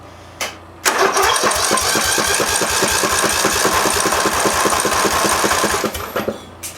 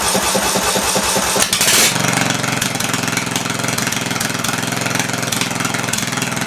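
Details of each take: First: Massey Ferguson (Simplicity) lawn tractor advertised with a blown head gasket, 18 hp Briggs Intek OHV engine, cranking on the starter for a compression test with the spark lead grounded. Steady, even chuffs about four per second; normal compression. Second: Massey Ferguson lawn tractor single-cylinder engine, sold as having a blown head gasket, first start: it cranks, catches and runs loud, unmuffled and uneven, smoking; suspected carb puddling, dripping fuel instead of misting.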